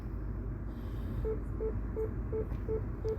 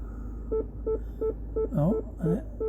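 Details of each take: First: Mini Cooper Clubman (R55) in reverse after fitting a genuine rear parking sensor replacing failed cheap ones and clearing faults: steady short beeps about three per second over quiet cabin hum; parking sensors working, no codes. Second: Mini Cooper Clubman (R55) PDC parking sensors in reverse, after replacing one sensor: steady beeps about three per second, then tone breaks into sweeping glitches and cuts out; rear left sensor still faulty, code remains, needs replacing.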